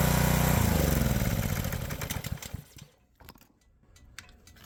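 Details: Power washer's petrol engine, tested after a clamp was torqued on and the water hooked up, gives a strong, even beat under pump load for two seconds, then a clean wind-down; normal running under load.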